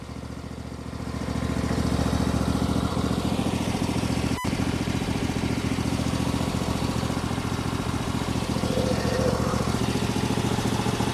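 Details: MTD 21hp lawn tractor, Briggs & Stratton V-twin once said to be blown, now running with heavy exhaust oil smoke and oil residue on valve cover: steady, even V-twin beat, no knocks, ticks or rattles; internals sound fantastic, normal running.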